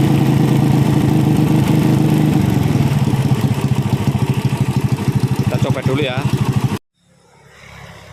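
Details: Honda Supra Fit C70-body motorcycle, carb swapped from PE28 to PE24 and being tuned: engine revs with an uneven, lumpy beat through mid range before cutting off; mixture still mismatched at medium to high rpm.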